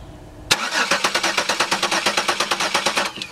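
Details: 2002 Chevy Venture 3.4 cranking with the old camshaft position sensor connected: steady starter cranking about three beats a second, no cylinder catching, good spark but no injector pulse; crank no start from failed cam sensor.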